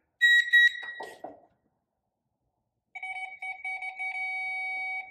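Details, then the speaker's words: 1946 Willys Jeep CJ2A starter testing with a Power Probe circuit tester; sharp beeps then steady two-pitch tone over two seconds confirming a good ground at the starter. "you definitely have a ground there definitely have a ground at the starter"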